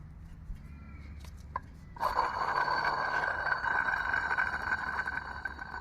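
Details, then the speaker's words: Porsche Boxster 986: removed old water pump spun by hand gives a gritty, rasping grind fading as it slows; the pump bearing is gone, causing the engine whining noise, fixed by installing a new water pump. "so the bearing inside the water pump is gone so that's why it's making that noise there"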